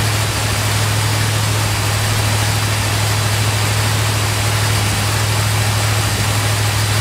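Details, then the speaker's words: 1971 Chrysler New Yorker 440 V8, cold, just after new fuel tank, pump and AVS2 carburetor, first run in months: steady, even hum at a raised idle with no dips; choke fast idle set too high, to be turned down. "that choke idol is way too high for my liking so i'm gonna back that down real quick before the engine actually gets warm"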